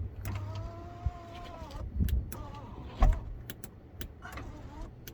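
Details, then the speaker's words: 2.5 V6 Alfa Romeo 156 on pre-purchase inspection: sunroof motor whirs in short runs, pitch sagging and stopping unevenly; sunroof not working properly, suspected rust or lack of lubrication. "but a lot of the time it stopped working because it's Rusty so uh that's something to look into further"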